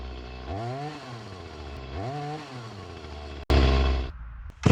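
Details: Echo CS-352 chainsaw that starts then dies, before repair, cutting at the woodpile: revs up in weak swells that sag instead of holding speed, then cuts off; bogging from fuel starvation despite the mixture screws at max, fuel line suspected.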